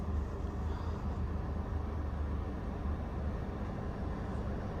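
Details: OutEquipPro camper AC with heater, run at 2:40 pm, 90°F outside, medium setting at 76: low, steady drone with an even deep hum, no rattles or squeals; compressor just kicked in and runs normally.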